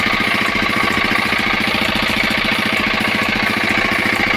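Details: 5hp single-cylinder diesel engine after tappet (valve clearance) setting: steady thump at about three and a half beats per second, even and unbroken; engine runs smoothly.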